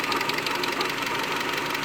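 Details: 2001 Mitsubishi Galant 2.4 4G64 at steady idle: fast, even light ticking like a sticking lifter; suspected causes include clogged oil pickup screen, worn oil pump, failed lash adjusters, oil foaming from overfill, or misaligned oil pump gear; unconfirmed.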